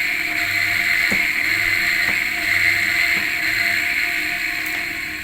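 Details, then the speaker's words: Washing machine motor running unloaded, capacitor wired to red and yellow for counter-clockwise spin; steady hum with a faint rough, gritty edge and odd ticks; likely dirty grease in the bearing; replacing the bearing is the better fix. "Tetapi kalau kita dengar suaranya tadi agak kasar. Nah, biasanya kasar itu karena gris yang ada di atau gemuk atau pelumas yang ada di bearing sudah ee kotor."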